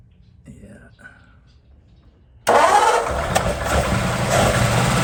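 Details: 1947 Ford that had been failing to start, after a no-start fix: quiet at first, then the engine catches at once and settles into a steady, even idle; a clean start with nothing amiss.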